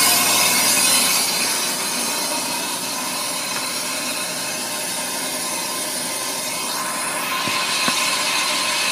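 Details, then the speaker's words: Ammco brake lathe machining a brake drum, about a quarter inch left to go: steady, even high-pitched hiss of the bit cutting across the drum, level and smooth; normal finishing pass, drum nearly done, chatter strap fitted. "okay you can tell by the sound NE brake drum is pretty much done so I'm going to go ahead and disengage my cutter head turn that lever off"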